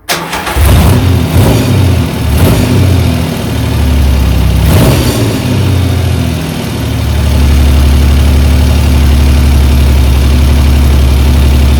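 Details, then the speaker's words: 1975 Triumph Trident T160 triple after full restoration, not fully warm, after freeing a stuck throttle cable/slide and resetting float heights: catches after a few cranks, blips, then settles into a smooth, steady low idle; runs perfectly. "but it now is a completely different engine it runs perfectly"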